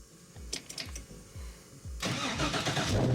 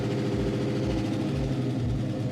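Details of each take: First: Rambler wagon, 500 hp, restarted after sitting six months, fuel pump wired direct to battery: cranks about two seconds then catches cleanly into a steady idle; 50 psi oil pressure, initial lifter tick went away. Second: 500hp Rambler station wagon, first start in a long time with the fuel pump wired direct to the battery: freshly started V8 idling with a light quick lifter tick at 50 psi oil pressure. The tick went away once it warmed and built oil pressure.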